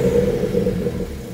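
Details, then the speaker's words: N54 BMW 335i just made full bolt-on with ARM catless downpipes, 7.5-inch stepped race intercooler and MHD stage 2+ tune; short throaty rev, deep rumble with turbo audible, no knocks or rattles: normal rev. "But guys, the way this sounds with the catless downpipes sounds so good. You can hear the turbo so much better."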